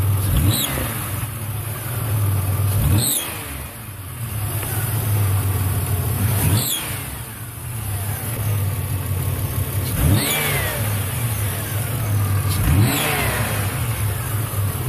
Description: Plugged catalytic converter causing exhaust gases out a small crack in the manifold.